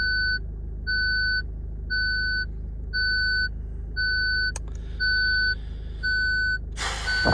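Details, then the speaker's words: Ford Fiesta Titanium idling quietly in reverse: steady clean two-tone chirps about once a second, a parking sensor warning; front and rear sensors not working despite diagnostics, owner suspects a faulty sensor. "Still there. Front sensors are not working. Swing it around a little bit. No, not working. Back sensor's not working. Front sensor's not working."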